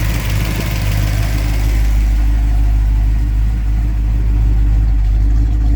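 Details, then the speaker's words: 1967 Plymouth Barracuda 340 V8 with new exhaust, carb not yet tuned: deep, steady burble at an even idle with no misses or knocks and good oil pressure; normal idle. "engine sounds good and everything. Nice, good oil pressure. No issues there."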